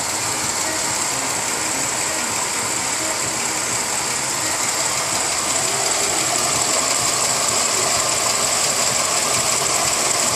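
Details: 1999 Pontiac Grand Am at idle: steady, hissy high-pitched whir with a rough grinding edge over the engine, pointing to a worn, bad water pump bearing.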